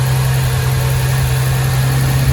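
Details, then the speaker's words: 1975 Triumph TR6 after rebuild and camshaft re-degreed, warm at about 85–86 °C, thermostat open, not in gear, oil pressure 90 psi: steady even low rumble, no misses or knocks; idles a little high, carbs to be rebuilt. "It's idling a little bit high, but we're gonna rebuild the carbs anyway."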